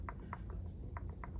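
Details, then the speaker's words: Stihl 044 Magnum chainsaw rebuild, with its 25-year-old clutch drum rocked by hand while the brake band is engaged. Light metallic clicks come in small irregular pairs, showing too much play in the drum and needle bearing. Both likely need replacing. "being that this is a 25 year old clutch drum there's a little bit too much play for my liking in that the drum and the needle bearing so I think those do need to be replaced"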